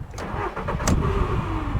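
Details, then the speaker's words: Seat Leon, 55,000 miles, restarted after its hydraulic lifters had stopped tapping. Brief harsh grinding whirr as it cranks and catches, then idle; owner suspects a worn starter motor that will need replacing eventually. "Yeah. So ideally it probably wants a new starter at some point. Obviously it's working, but probably not doing it any good."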